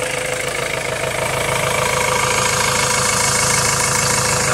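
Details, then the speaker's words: 2.2 L Ford Transit common-rail diesel after replacing the high-pressure pump's fuel metering valve: steady, even idle clatter with no hunting, surging or dips; rail pressure signal now steady around 1.3 V. "so i need to do that still but it's not surging it's not going up and down in the revs so that seems to affects it on its own so far"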